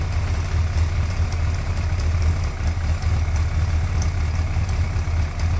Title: GSXR 1100 ticking sound